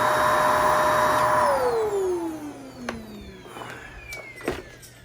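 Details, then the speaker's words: Vacuum cleaner after clearing hair clogging the beater bar: steady high motor whine runs evenly, then falls smoothly in pitch as it switches off; beater bar working again, normal running after repair. "There it goes. Working again."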